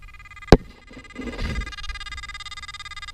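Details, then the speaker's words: Pirate Pro metal detector with sensitivity raised to seven: click, then steady high tone wavering in a quick regular pulse; threshold sound increasing with high sensitivity. "so I'm pretty positive that sound we're hearing is the threshold which as you increase your sensitivity you're probably gonna get more of your threshold sound"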